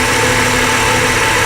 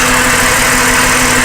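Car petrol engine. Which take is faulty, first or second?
second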